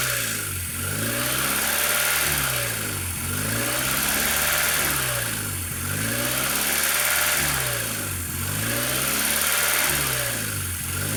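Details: Honda Civic EU8 (EP2) with D16Y8 intake swap on D16V1, engine revving up and down about every two and a half seconds over a steady high hiss that ignores revs: classic vacuum leak.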